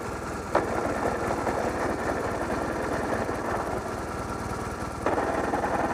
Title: I don't think it's supposed to sound like this.